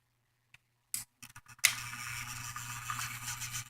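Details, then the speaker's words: 2015 Hampton Bay ceiling fan motor bench-tested on a power cable; after a few handling clicks, a steady low hum holds evenly, and the motor works with its bearings still good. "can hear it humming away it does work"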